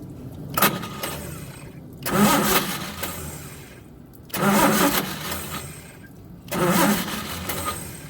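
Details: Old truck engine, carbureted with choke set, cranking: four separate two-second starter bursts, turning steadily but never firing; the original or old ignition coil was found to be bad and was replaced with a coil borrowed from another vehicle.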